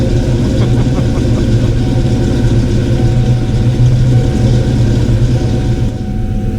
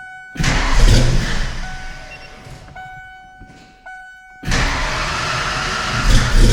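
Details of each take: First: Ford Foxbody Mustang 5.0 V8 with rebuilt Kenne Bell 2.1L supercharger, after correcting a couple of botched spark plug wires: steady, even idle with a light blower whir and no clanging or banging. A slight squeal is heard, possibly the belt. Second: Kenne Bell 2.1L supercharged Foxbody 5.0 Mustang V8 with 42 lb injectors and bigger mass air, first start after rebuild: it catches, sags to a lumpy uneven beat and recovers, possibly running on six cylinders, cylinders 2 and 4 cold, plug wires crossed.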